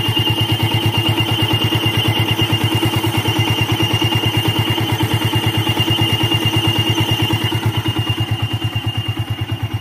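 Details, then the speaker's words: Old Yamaha Vixion motorcycle, engine fully hot, radiator fan not yet running: thin, steady, harsh high whistle over even idle pulses, absent when cold; worn water pump seal and bearing squeal. "Nah, oke, seperti itu dia bunyi kayak siulan guys ya, dia berdencit parah gitu. Ketika mesin sudah panas guys ya, jika mesin belum panas dia belum bunyi."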